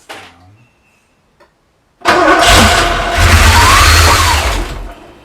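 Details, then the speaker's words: Porsche 928 V8 first start after engine rebuild, 18 months non-running, no coolant in yet; silence then coughing, uneven roar that keeps firing; rough running on first start. "it's making quite a lot of noise but it is the firing so it's pretty cool"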